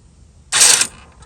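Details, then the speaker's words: Toro TimeCutter mower that won't move, only one wheel working, key off, engine not running: one short buzzing, ratcheting burst as the electric brake mechanism cycles itself; owner suspects faulty sensors, not confirmed. "that thing is going off for no reason look at it remember the key is off let's see if it's unlocking and locking the brake mechanism"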